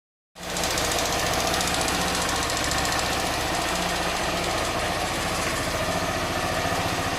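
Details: Honda Bros 160 at steady idle with a fast, slightly uneven light knock, about three or four a second, from the engine. The noise persists after four warranty visits; the source is not pinned down and the cause is unconfirmed.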